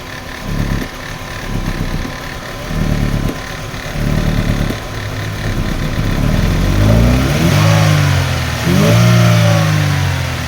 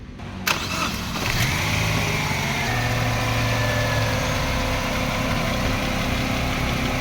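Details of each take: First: Chevrolet Aveo manual with hard start and low power, no check engine light: uneven, lumpy idle with strong vibration that stays shaky as revs climb; misfire from a failed ignition coil. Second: Chevrolet Aveo manual, previously hard starting, low power, misfiring and shaking: after repair starter catches, engine fires and settles into steady, even idle with no stumble or vibration.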